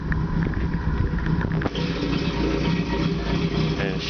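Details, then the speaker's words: Opel with TH180 automatic, first start after a failed vacuum modulator let it suck in a gallon of transmission fluid; oil, filter and modulator replaced, vacuum lines cleaned: cold idle stumbles with lumpy, irregular pulses, seemingly missing on one cylinder — rough idle. "running rough [Music] I don't know sounds like I'm missing on one cylinder"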